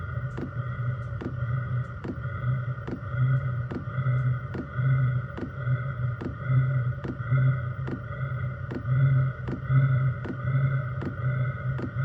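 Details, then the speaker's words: Chinese diesel heater in portable overland build, 5-liter tank, first startup after about two minutes of glow plug routine: steady low burner rumble with even fuel pump tick about once a second as it fires; normal combustion. "you can now hear the fuel pump starting to Prime the heater if you listen in the background you can hear the uh engine starting to fire up"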